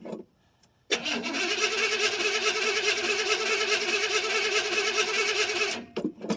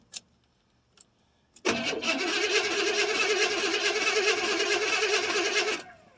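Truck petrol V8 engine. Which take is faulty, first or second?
second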